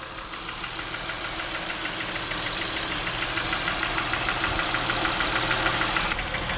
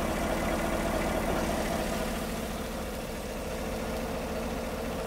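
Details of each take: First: Honda Pilot engine idling with light, fairly regular tapping (about three per second) like top-end valve tick; knock persisted with each cylinder unplugged, and the microphone exaggerated it. Cause unconfirmed. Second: Healthy V8 at idle, checked with a homemade pulse sensor at the intake: smooth, even low pulse about three beats a second, no knocks or ticks; normal idle.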